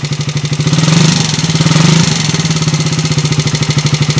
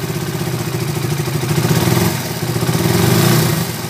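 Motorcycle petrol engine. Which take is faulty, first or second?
first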